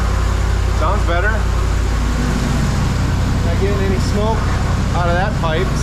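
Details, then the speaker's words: 1979 Suburban V8 after new dual exhaust, tune-up and plug wires refitted, warming up: deep, steady idle with even beat, no stumble or skipped firing; no longer missing, normal idle. "well it doesn't sound like it's missing it was smoking out of that pipe when I bac"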